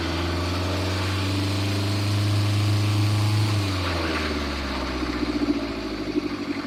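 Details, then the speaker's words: Loud, rough engine drone with heavy low rumble and uneven pulsing; very noisy vehicle with a coolant leak and a noisy belt to be fixed. "it sounds like it shouldn't fucking run, is the answer. It sounds like this vehicle should not be drivable."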